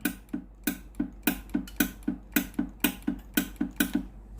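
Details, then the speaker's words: Philips GC9622 steam iron, plate hot, steam button pressed: steady sharp solenoid valve clicks about twice a second with no steam hiss and no heat in the hose; valve works but boiler heater failed, boiler replaced. "ผมกดปุ่มจ่ายไอ้น้ำแล้วนะครับได้ยินเสียงวาล์วน้ำทำงานปกตินะครับเสียงอิเล็กโทรวาล์วนะครับดังแจ๊กๆนะครับแต่ไอ้น้ำไม่ออกนะครับ"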